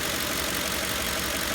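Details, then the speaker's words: Ford 5.4L 3-valve V8 (2004-2008 F-150/Expedition/Navigator) idling smoothly and steadily after replacing cylinder 7 coil pack and spark plug, curing rough-idle misfire codes P0300/P0307. "it's running steady and yeah looking steady so I think that fixed our problem"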